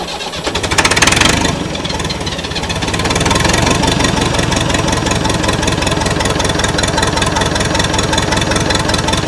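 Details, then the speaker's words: Massey Ferguson 178 diesel on a cane haul-out tractor that sat for years. The injector pump delivers too little fuel to idle, so it chugs unevenly at a slow, ragged beat, running only on ether. "so I'm give I'm going to give it one more shot and of course it sounds like it is running but it's only running on ether"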